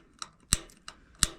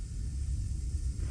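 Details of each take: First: Rheem gas water heater in attic, before burner replacement: sharp irregular piezo igniter clicks about three per second at pilot, not lighting; pilot only stays lit temporarily. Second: Rheem gas water heater, new burner assembly installed, lit from pilot: low soft roar with steady rumble, no popping or sputtering; normal burning sound.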